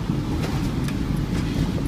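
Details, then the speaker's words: 1999 or 2000 Honda CR-V, 192,000 miles, check engine light on and lacking power: heavy exhaust hiss with ticking over the engine rumble, the whole car shaking, from exhaust leaking past a clogged catalytic converter; later fixed with new exhaust and catalytic converter. "but the whole car is shaking and as you can hear it it's like tapping or ticking that's just the it's the exhaust leak because it can't go through the cataly converter"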